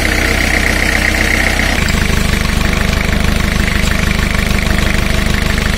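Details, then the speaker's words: Four-cylinder diesel engine at idle (about 928 rpm) during a cylinder power balance test, with a digital tachometer reading a flywheel reflector: a steady rhythmic beat that drops slightly and evenly as each cylinder is cut; rpm drops nearly equal, the engine is in good condition. "this way you can measure the rpm drop in a diesel engine and compare every cylinder and as you can see these results are very nice almost close together"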